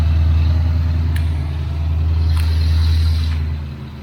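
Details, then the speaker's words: Foxbody Mustang V8, warm, just after an engine coolant temperature (ECT) sensor replacement with a frayed sensor wire. Steady, fast idle with a low rumble, easing down slightly. The owner suspects the sensor or plug connection; not confirmed. High idle. "I really need to check that sensor and make sure that the plug is good because the car has some heat in it it shouldn't high idle"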